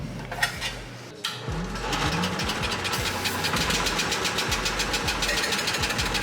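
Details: Generator engine for the bucket-truck tool build, test-run before bolting in, with the charger hooked up: cranks briefly, catches and settles into a steady fast putter with even pulses and no stumbling; starts and runs fine.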